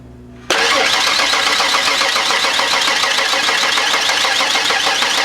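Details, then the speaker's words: 1992 Ford Explorer cranked for the first time since being parked around 1998-99, sitting about 16 years: starter turns at a steady, even beat with no uneven pulses, hitting on all cylinders about even, so compression sounds equal. "sounds really good to me it's hitting on all cylinders about even"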